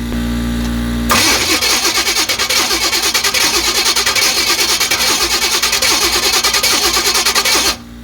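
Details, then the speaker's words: 1985 Chevy C10, high-compression 383 stroker small-block, carb bowls freshly filled, new accelerator pumps, starter acting up: steady cranking at about three turns per second for over six seconds with no firing. Cranks but no spark; owner suspects the distributor control module. "yeah I don't think she's firing it don't sound like it foreign I don't know about y'all but I didn't see no fire yep no fire"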